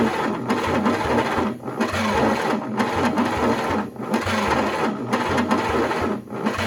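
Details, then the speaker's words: GMC 270 inline six with rust and water damage, first start attempt in 20+ years, running on chainsaw-mix gas: slow, even cranking with exhaust puffing and compression felt, but no start. Owner suspects it may be 180° off; the starter was getting warm. "well it sounds like she's hitting i can hear exhaust puffing out a little bit and i feel compression over the carburetor when i was trying to choke it by hand there"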